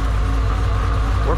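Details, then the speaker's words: Supercharged Camaro V8 with big cam and blower, fresh MSD spark plug wires: deep choppy idle with blower whir and no skipping beat; header temperatures verified, firing on all cylinders, normal. "I mean obviously if there's a misfire you typically will hear it but because I have a big cam in my blower sounds like poo literally sounds like it's eating itself it is what it is"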